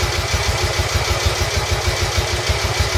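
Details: Royal Enfield Bullet 350 Classic, first start after partial seizure repair: cylinder honed, new rings, decoked, valves set, carb cleaned: steady thump about three beats a second, even, no knocks or rattles; normal idle, needing only fine carb tuning.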